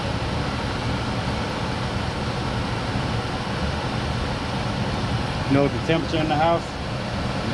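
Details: 1989 Carrier furnace on a service call (fault code 1-3), after replacing the blower motor capacitor: steady, even rush of air with no rattle, hum or surging; blower motor running smoothly.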